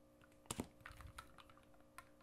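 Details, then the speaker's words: Oboe F resonance side key tapped while fingering D: sharp little clicks show the key adjustment is too loose and not sealing; tightening it makes the clicking stop. "you know how it clicks that's not good that means that this is not sealing at all we want to tighten it to where the clicking goes away"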